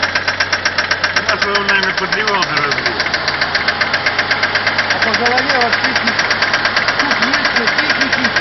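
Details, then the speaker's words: Mitsubishi 4G63 engine: sharp steady clacking from the cylinder head, about three per second at idle, appeared suddenly in neutral at a light; hydraulic lifters suspected, nothing changed after checks. "Прям долбит, сильный, ничего не изменилось. Как работал, так и работает."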